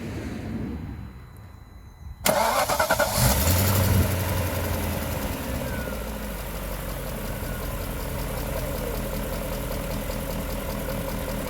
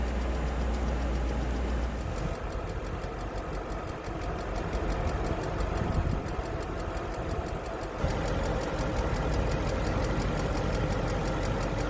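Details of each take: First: BMW M60/M62 V8 after installing new viscous fan clutch, cold: fires, flares briefly, then smooth steady cold idle with even fan whoosh. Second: BMW M60/M62 V8 (E31/E32/E34/E38/E39 family), not started in over a year, cold start: loud steady roar over idle that doesn't settle; faulty viscous fan clutch locked up, replaced.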